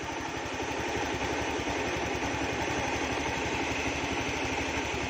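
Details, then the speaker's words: Honda Beat scooter after replacing mismatched CVT rollers (three small, three large mixed) with matching ones: even, steady idle putter, no rattle or knock from the drive side; now smooth. "suaranya Udah halus nah Hai juga halus suaranya"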